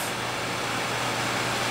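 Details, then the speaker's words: Two Gainward GTX 580 Phantom 3GB cards in SLI under load, fans going from 80% to 100%, low-airflow case, 32°C room, top card about 85°C; steady even airy whoosh without ticking or rattle, normal fan noise. "how bad it can actually get keep in mind this is SLI it's in a low airflow case uh it's in a very very hot room"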